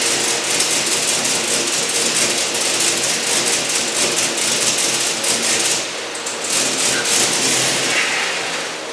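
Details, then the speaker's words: Turbocharged 1961 Chevy pickup, first start after rewiring the throttle actuator: engine flares and surges unevenly with no steady idle; likely a faulty throttle actuator controller, later replaced with a junkyard unit, which improved running. "All right, day 5, still at it. Pretty sure I had a faulty throttle actuator controller."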